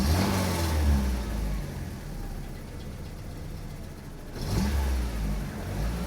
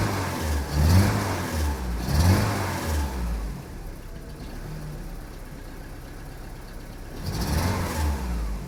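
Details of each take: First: Saab 900 8-valve with Bosch K-Jetronic, after swapping injectors: revs up and settles smoothly with no stumble or miss; earlier tip-in stutter was a plugged injector not opening until high pressure. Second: Saab 900 8-valve with Bosch K-Jetronic, after sitting unused and an alternator fix: three throttle blips from idle, each hesitant and uneven; stumble going off idle, first suspected in the fuel distributor.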